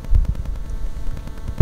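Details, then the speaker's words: Rode VideoMic GO and Rode Wireless Micro near a Wi-Fi router or phone: a low, pulsing electronic buzz with rapid ticking throbs. RF interference enters the unshielded mic board; the fix is foil shielding. "ก็คือว่าเวลาที่เข้าไปใกล้พวกอุปกรณ์ที่มีไวเลสนะอย่างพวกเราเตอร์ไวเลสหรือว่าพวกมือถืออะไรพวกนี้นะครับมันจะเกิดเสียงรบกวนนะครับ"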